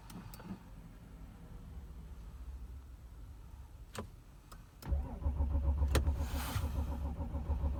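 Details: 2006 Audi A6 4F 2.7 TDI quattro, cold: a few clicks, then steady rapid starter cranking at about three and a half turns per second, but the diesel never catches. Crank, no start when cold.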